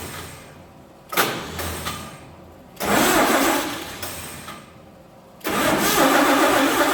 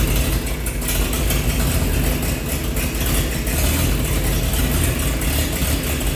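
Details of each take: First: 1948 Chevy truck engine not run for 30 years, diesel in the oil pan, cranking: brief near-catches that die with no steady idle; no spark because the cheap Chinese ignition points burned, reportedly from 12 volts. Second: 1948 Chevy truck engine, not run for 30 years, diesel fuel in the oil pan, new coil fitted: deep steady low rumble at idle, no misses or knocks; running good, slight steam from thermostat housing.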